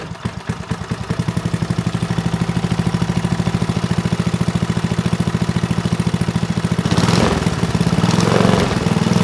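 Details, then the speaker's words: Manco Dingo go-kart, about 25 years old, Briggs 5hp horizontal-shaft engine revived: steady, even single-cylinder firing with a brief pickup near the end, running well. It was shut down because fuel was leaking from an empty screw hole. "foreign sounds good but I did shut it down because I noticed fuel coming out that hole right there"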